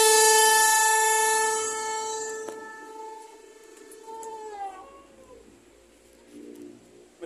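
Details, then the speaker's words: Loud steady trumpet-like howl from the engine bay that fades and drops in pitch at shutoff: vacuum collapsing a PCV hose gone soft and limp where it should be stiff. "kita matikan karena agak sedikit berisik jadi sumber bunyinya adalah dari selang ini kalau di kita namanya selang PCV ya di sini memang ada semacam kevakuman harusnya Selangnya keras seperti ini ya"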